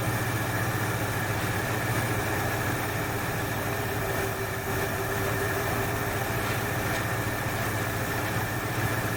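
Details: 1968 Ford Fairlane V8 after flooding carb fix and tune: steady, even idle with a low regular lope, no stumbling or popping; much better; driving should clear remaining soot.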